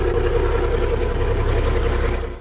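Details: 5-ton crew cab truck build, finally running, exhaust now fitted: deep, steady diesel idle with an even low rumble and no exhaust puffing or ticking; healthy idle.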